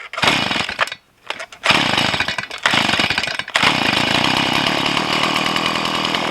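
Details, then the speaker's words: Stihl MS170 two-stroke chainsaw with a 16-inch bar, right after the carburettor mixture and idle adjustment: at full throttle it screams with a ragged, uneven, surging note, and the owner is unsure whether it is running lean or rich. Poor running at full throttle. "Okay, that's not good. That sounds like it's lean. Or maybe rich, I don't know."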